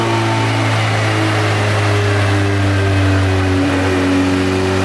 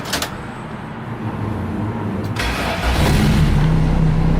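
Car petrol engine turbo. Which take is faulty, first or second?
first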